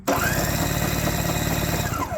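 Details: Curbside Toro S-200 two-stroke snowblower, ignition switch on, recoil pulled while trying spare spark plugs: fast churning pulls and compression chuffing with no firing at all; cranks but won't start.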